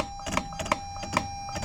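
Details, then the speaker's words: Datsun Fairlady roadster being converted to drive-by-wire with ITBs, using a 350Z electronic throttle body: short buzzy motor pulses over a thin whine as the throttle strains but never opens. Owner suspects it may be moving backwards; cause unconfirmed. "And you can see the throttle attempting to move as well, but it just doesn't seem like it's actually doing anything. Yeah, so it tried to move, but I don't know, something is fishy here."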